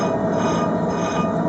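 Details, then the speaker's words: 1986 Ford F-150 front hub turned by hand with the caliper off: a steady metallic growl with a faint ringing. Dry, worn wheel bearings need repacking and probably replacement; the light rubbing is a dented backing plate. "rotates well but that is definitely going to have to get repacked and probably new bearings oh yeah it's not the brake pad it's this dented backing plate with rubbing but the growley is the bearings"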